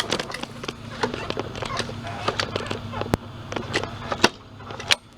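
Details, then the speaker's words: Ticking while pulling the recoil starter on an MTD Yard Machines self-propelled mower with spark plug boot off; sharp uneven ticks over low rumble, first suspected loose blade but attributed to grass buildup; starter dog still sticking. "it's ticking again we have a loose blade oh maybe not no it's cuz of all the grass on here nevermind it's not loose it's all the grass"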